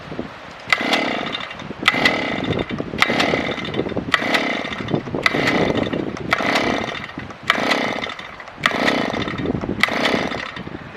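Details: Auger engine, which ran that morning, outdoors in wind: recoil pulls about one per second, each a brief rasping spin that dies away, never catching, so it won't start; cause unknown.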